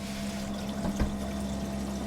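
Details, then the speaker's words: Mercedes SLK32 intercooler coolant pump test with a single pump running: steady pump hum under trickling water; normal circulation. "And you can just hear it start definitely getting faster."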